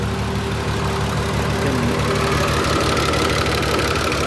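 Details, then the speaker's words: VW Jetta VR6 with newly installed engine, straight-piped, first start-up: loud raspy idle with fast light top-end ticking about three a second; owner unsure if valves, check engine light on; lifter tick, oil-starved hydraulic lifters on first start. "might you're like a little tit on the valves something we'll get to that you guys tell me"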